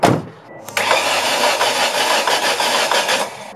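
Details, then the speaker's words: Ford Escort with Zetec engine, first start after sitting almost two years: cranks and catches with a harsh rapid knocking for a few seconds, not really sounding like rod knock, from oil drained out of the variable valve timing system. "strange like knocking sound coming from the engine I actually end up being the car running only for a few seconds and I heard a really really bad knocking sound now initially I thought it was a rod knock but the more I listened to it it didn't really sound like a rod knock"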